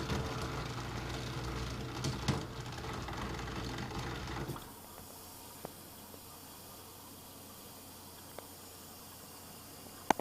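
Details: Kenmore dishwasher, model 13273, bought November 2011 and under a year old, hisses and hums loudly with a low droning tone, then drops to a faint hum with a few clicks; abnormal running noise of unknown source.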